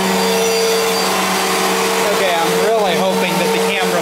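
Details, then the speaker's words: 1999 Fantom Fury vacuum cleaner at plug-in and switch-on: steady motor drone with warbling whine sliding up and down; sounds wrong at startup and winding down, intermittent grinding whine of unknown cause. "cuz it really doesn't sound right when you first turn it on uh oops it doesn't sound right turning off either"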